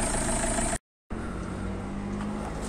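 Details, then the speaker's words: Diesel car after cleaning a sensor. It now holds an even, steady idle with no knocks or misses, and the engine runs properly again. "كرهب نظفنا الكابتن روم والكرهب رجعت امورها راكحه وبارك الله فيك، ما فماش حتى مشكلة، الموتور رجع متحد"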